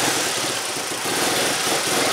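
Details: 2002 Mercedes ML320 with code P0400, after cleaning the valve and the plugged EGR pipe: a steady, even idle with a smooth rush and no misses; runs cleanly with the EGR open, considered fixed.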